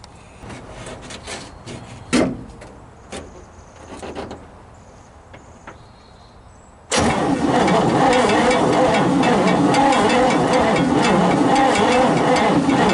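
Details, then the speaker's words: 1957 Chevy big-window V8 pickup, long-sitting, choke opening fully, coil wire forgotten on, float bowl appears full: a few quiet clicks, then a loud, steady, even starter churn spinning the V8 smoothly with no binding. "well folks let's uh pull the coil wire off and see if she'll spin over with the key"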